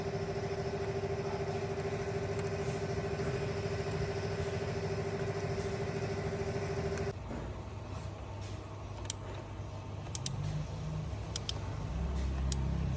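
A steady starter whir with an even cranking beat runs about seven seconds, then cuts out; the engine never catches.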